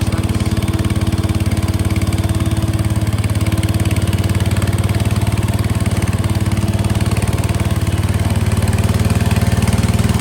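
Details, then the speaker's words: 1968 Case 155 garden tractor, driving forward and reverse and charging: steady, even single-cylinder thump at low constant speed with no knocks or misses; running smoothly and healthy. "okay forward Works reverse [Applause] Works running great it's charging"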